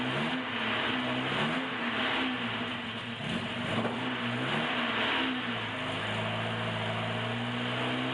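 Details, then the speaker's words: 1976 Alfa Romeo Spider, twin carburettors, cold start in cold garage, choke moved to half with slight throttle lock; picks up cleanly on light throttle blips, revs rising and settling as it warms and begins responding; normal warm-up on choke. "A little bit of enrichment out. We're at half choke now, and it's starting to respond."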